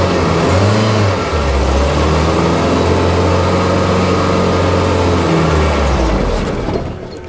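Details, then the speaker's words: 1989 Winnebago LeSharo RV, abandoned, starter acting up: engine catches, runs rough and lumpy a few seconds then sags and dies despite spark; owner suspects MAP sensor or speed sensor; stalls after starting. "still dying okay it runs for a little bit then dies so we might actually have a problem map sensor or speed sensor"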